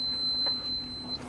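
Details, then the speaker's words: Giandel 1200W inverter on a running Toyota RAV4 Prime, after breaker reset following shutdown while charging a motorcycle battery near 900 watts: continuous high-pitched alarm tone with brief breaks, showing overload though not overheating; owner suspects inverter is broken. "It shouldn't say overload. Why would it say overload? I don't understand."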